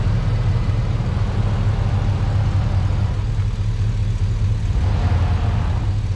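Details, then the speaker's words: Truck after sitting a while, in cold weather: deep, even V8 idle, steady low rumble with no knocks, misses or surging; a normal idle. "oh it's good to hear it run she runs good too nice and smooth"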